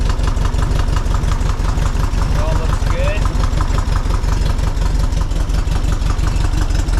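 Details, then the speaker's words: 1961 VW Beetle, air-cooled 1968cc engine with dual Weber IDF40 carbs, just fitted with an MST Renegade serpentine belt and tensioner ahead of an AMR500 supercharger, running a little cold in the morning: deep, even exhaust pulses at steady idle, no knocks, squeals or belt chirp; normal. "let's start it up and just show how how it runs a little bit cold this morning"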